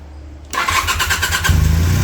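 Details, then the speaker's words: 1981 Honda CM400 twin, first start after sitting since 2000, contacts and rotor cleaned of corrosion, carbs dry: about a second of even starter pulses, then it fires briefly on starting fluid. Brief firing on starting fluid. "Hey! Oh. Okay, so that's the most action we've had so far."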